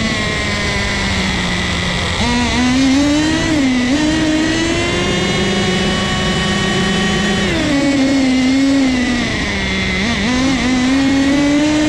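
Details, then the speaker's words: Nitro turbo RC car engine, owner suspects too rich a fuel mixture: a small engine screams with a wavering pitch that sags and recovers under throttle, then bogs out and dies; bogging at full throttle, afterward a sizzling, possibly from overheating. "bogged out and died on us again boys"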